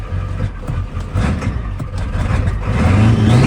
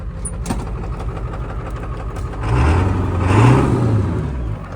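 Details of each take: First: Ford Powerstroke diesel truck running rough with an uneven, lumpy, stumbling beat that surges and sags after being cranked with ignition off to purge air; air in the fuel system, rusty tank later swapped. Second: Ford Powerstroke diesel truck, pull-started because the starter or solenoid is junk, catches after cranking, rises briefly, then settles into a steady, even low rumble and runs well; one injector was found improperly torqued and others had black, possibly clogged tips.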